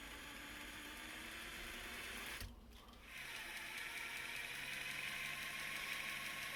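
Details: Traxxas TRX-4 Defender after transmission repair: smooth, even electric whir from the drivetrain, briefly pausing, with no clicking in the gears.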